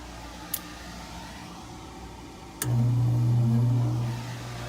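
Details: Gas furnace, breaker-tripping complaint, second-opinion check: after power-up a couple of sharp clicks, then a steady low motor hum comes in immediately with no five-minute delay and holds evenly; normal start-up.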